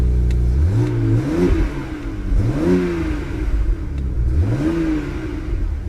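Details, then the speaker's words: Salvage BMW with low coolant, fan checked spinning freely, no other warning lights, run briefly: clean rise and fall of the engine note through several blips, smooth with no knocks or rattles; normal revving. "engine sounds good there's no warning lights other than low coolant"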